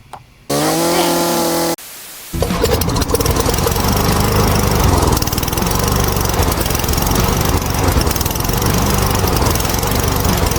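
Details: Poulan P3416 34cc chainsaw with new Hipa carburetor: cranks and fires, settles into steady buzzing two-stroke run with no stumbling or surging; healthy after repair.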